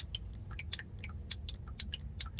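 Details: 1990 Chevy K1500 automatic, valve body shift solenoid A replaced after the new one from the rebuilt valve body failed: sharp crisp clicks about every half second on test; normal shift solenoid click.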